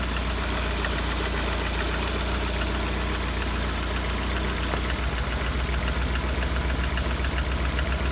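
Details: Lada Kalina 1.4 warm idle at 70°C coolant: a steady rapid tapping knock over the engine hum, about four per second; mechanical knock, cause not yet pinned down, owner wonders if an overhaul is needed.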